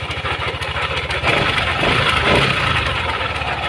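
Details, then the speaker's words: First-generation Yamaha Aerox 155 scooter at idle after start-up; rough idle with loose uneven kotek-kotek rattle about three per second over the engine, plus clattering. "ini mengeluhkan ada suara kottek-kottek pada sepeda motor ini Mas ketika dihidupkan"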